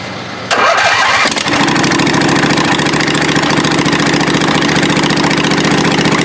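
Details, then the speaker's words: Murray riding mower with a 22 HP twin on its first start with the valve cover off: cranks, catches quickly and settles into an even beat on both cylinders with a deeper tone; it runs healthy. "let's see if it sounds like a twin definitely got a deeper tone"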